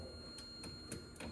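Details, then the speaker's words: 1984 Mazda RX-7 GSL-SE power window: the switch gives sharp dry clicks with little or no motor hum, and the windows move very slowly or barely at all. The owner is unsure whether the cause is electrical or mechanical and plans to clean the switches. "And if you can hear, I think there is an electrical signal that's going through. If you can hear the click."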